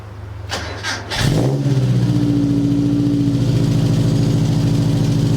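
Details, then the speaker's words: 1977 Sigma Lancer just fitted with long-tube headers, engine sitting low on old mounts: a brief crank, then it catches into a strong, even beat that climbs smoothly as it revs. It now sounds aggressive throughout instead of lumpy low and raspy high. "that sounds so aggressive before it was lumpia i don't know i'm not sure the camera's hearing"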